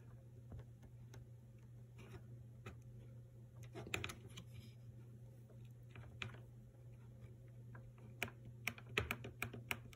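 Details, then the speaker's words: Maytag MDB8959SFH dishwasher, control panel opened: steady low hum with scattered sharp clicks as the panel is pressed; the far-right start switch actuates only when its broken plastic support area is held by hand, nothing when released. "if i try to do this holding the phone if i press on this at the same time this part here you can hear it connecting if i don't press nothing"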